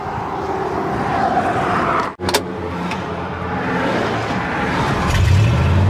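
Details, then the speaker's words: 1960 Impala V8, revived after sitting 25+ years, on 2,556-mile drive home, fuel slow reaching filter: steady even idle with slight rev lift, no misses; running normally again. "that get there but slow coming but it's good hey it's back in business though I mean it wouldn't be running this long if it wasn't pulling"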